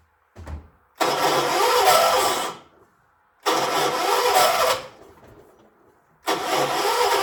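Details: 1976 John Deere 300, cranked using a jumper pack: three cranking bursts of about 1.5 seconds with pauses; engine spins but never fires; hard starting.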